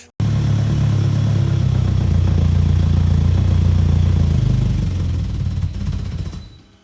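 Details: Mitsubishi Evo 8 with a built engine and a new Haltech Elite 1000 ECU install, not yet tuned: a deep, even burble with a steady firing beat and no knocks or misses, then shutdown; it runs and sounds good.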